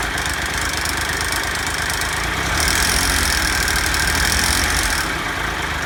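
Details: Triumph Tiger Explorer at idle after oil change from 10w50 to 10w40 and new filter: busy metallic rattle that swells briefly as revs rise, then settles; timing chain rattle suspected, not confirmed.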